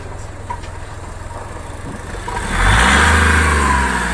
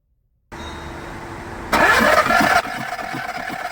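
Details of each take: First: Skoda Fabia diesel with VW Polo engine that had died while driving and seemed to have no compression; started and held on the accelerator 5–10 seconds so injectors won't lock; raised revs steady and even, then smooth idle; normal revving. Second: Skoda Fabia diesel with VW Polo three-cylinder engine that died while driving; cranking with injectors removed, timing checked OK, injector test shows no compression in cylinder 3. Starter spins fast and even with no compression strokes or firing; low compression, seized piston rings.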